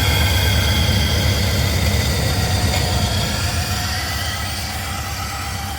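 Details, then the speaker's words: Chevrolet Suburban V8 with Flowmaster exhaust, warming up at idle, mass air flow sensor unhooked; deep idle with regular stumble, sounds like missing; good oil pressure, compression issue suspected but unconfirmed; engine misfire. "it's got good oil pressure it seems running okay other than just sounds like it's missing"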